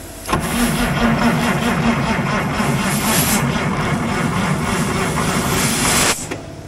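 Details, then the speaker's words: International wheel loader diesel, sat 8 years: about six seconds of steady cranking that never fires despite ether and compressed air; pump internals turn and fuel supply is good, but no fuel reaches the injectors; owner suspects injection pump issue. "I don't understand why we're not getting fuel up to our injectors I'm thinking there's an injection pump issue"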